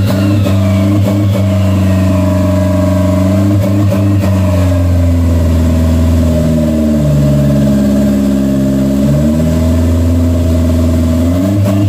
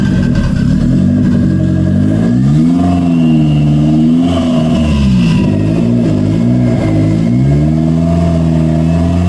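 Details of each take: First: 1992 Toyota MR2 project car, after adjusting throttle cable tension: idle sits a touch high and dips smoothly when the throttle is pushed shut by hand; throttle plate not fully closing causes the high idle. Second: 1992 Toyota MR2 project car after the throttle cable fix: idle settles evenly and revs climb and drop cleanly with each blip; throttle responsive, idle problem fixed, normal running.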